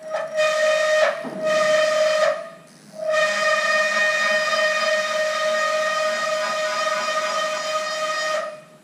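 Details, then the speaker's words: Haas VF-3 retrofit servo axis, gain turned up to five and jogged slowly: a loud, steady high whine with stacked tones. The motor holds position too tightly on encoder feedback, vibrating the ball screw and machine frame. "See how much vibrations? That is the motor trying to hold so tight the position that will create vibrations on the whole uh ball screw, frame of the machine, all of that will vibrate with that motor holding trying to hold that position in with the encoder feedback and See how loud it is?"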